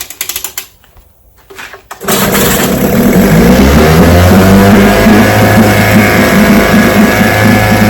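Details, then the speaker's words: Vintage outboard, restored then repaired: fuel valve opened, full throttle, carburetor allowed to fill; it catches and settles into a steady, even two-stroke run, about four beats a second; healthy. "Man, that's a beautiful sound."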